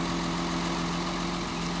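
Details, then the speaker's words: Mercedes 280 SE: number two lead plugged back in after a test pull and the engine smooths out; steady even idle with no dips or stumbles. "now watch the engine smooth out as I plug this lead back in see that all right"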